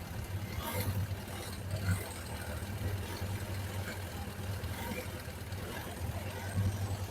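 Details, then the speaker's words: Suzuki GSX600F that does not run smoothly, especially on starting: low idle keeps rising and sagging instead of holding steady; vacuum gauges slightly unbalanced, dirty carburetors suspected, to be removed and ultrasonically cleaned. "No es estable. Esto debería de ser estable."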